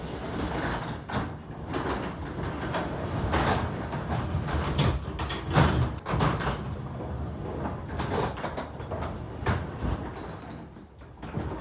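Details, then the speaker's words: Garage door after greasing the moving parts: soft, even rolling hush with light thumps, no squeal or grinding; quiet and well lubricated. "as you can see I just greased all the moving parts of the garage door and after I move it up and down once or twice just listen to how quiet it gets"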